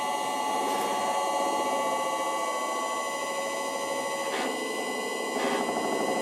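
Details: Electric motor on a VFD, fitted to a vintage wood lathe, running alone at full speed (60 Hz) with the lathe disconnected. Steady high-pitched whine with layered tones and no low rumble. Owner suspects a worn, egg-shaped rear bearing seat despite new bearings.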